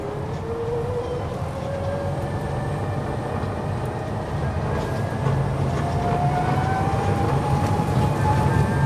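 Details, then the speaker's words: New Polaris Ranger XP Kinetic electric side-by-side, recorded from the cockpit on hard-packed dirt: a clean whine from the rear end climbs steadily in pitch with speed over soft tire rumble; noticeable but not extreme, normal drive whine. "In this clip, I am attempting to capture the whine coming out of the rear end. We are in the cockpit."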